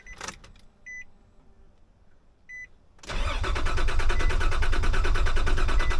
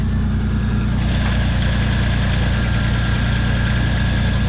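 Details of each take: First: Nissan Pathfinder, test start after a blown-fuse problem: key-on is quiet with no fuel pump prime hum, then steady cranking that never catches. The crank position sensor had been left unplugged. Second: Nissan Pathfinder idling after intake pipe and mass airflow sensor reconnected, following hard-start and chugging fault: steady, even low idle with smooth regular pulse, no misses, knocks or stumbles; running healthy.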